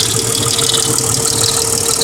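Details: 1999 Mercedes W163 ML320 petrol, nearly 200k miles, at idle: fast light clicking over a constant hum, suspected lifter. It began after an oil change to Mobil Super 3000 X1 5W40 with a new fleece filter. Before that, lifter noise lasted only 10–15 s on cold start. Audio is boosted.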